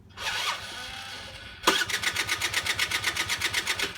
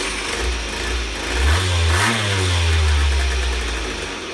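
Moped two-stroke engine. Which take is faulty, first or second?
first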